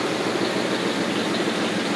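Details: 1980 Lincoln Continental V8 idling just after starting, following replacement of the ignition coil and starter solenoid for a no-start: a steady, even idle with a smooth hum and no misses or knocks; it runs normally.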